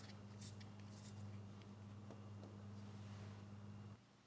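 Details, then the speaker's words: Neglected used Ridgid generator with rusted tank, clogged fuel filter, leaking fuel valve and messy carb, oil full: steady even hum, no knocks or misses; engine sounds good and generator makes power. "Well, the good news is the engine, it sounds good, and the generator is making power."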